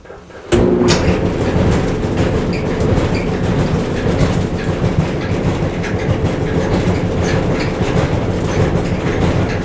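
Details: Whirlpool gas dryer model LGR7648KQ1 running: constant deep rumble with a busy rattling undertone while the drum turns; both the left and right drum support rollers were found worn.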